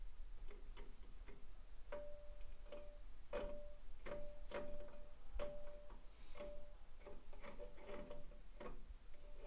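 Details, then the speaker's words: Blacktop Ford turbo after fitting a Mac boost valve, failed at about 12.5 psi short of the 14 psi target; uneven metallic pings and scrapes as the shaft is forced round by hand, binding hard, wheel rubbing housing after impeller nut came off. "oh I can barely even turn that"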